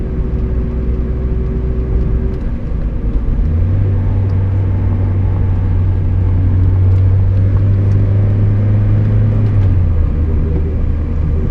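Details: Miata rear differential whine at steady cruising speed, gone under hard acceleration or deceleration: a steady low hum rises over road rumble; ring and pinion gears in the diff were badly chewed up.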